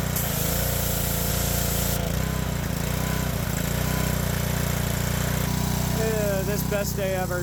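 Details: Power washer's small petrol engine, tested after a new hose clamp was fitted and the water hooked up, holds a steady, even buzz under pump load with no surging or stumbling; normal running under load.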